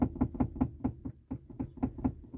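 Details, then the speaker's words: Chevrolet Onix/Prisma interior knocking: sharp hollow knocks as the passenger seat is rocked by hand, caused by a loose rail bolt on the seat track. "você vai ouvir esse barulho aqui ó vendo esse barulho pessoal e ele aqui no banco ó tá ó"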